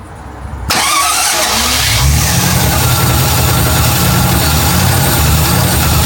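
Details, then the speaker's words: MGB GT V8 first start, oil pressure gauge showing nothing: catches after a brief crank and settles into an even, steady idle with no knocks or misses; sounds healthy. "It's not bad at all. No, that sounded quite good, didn't it?"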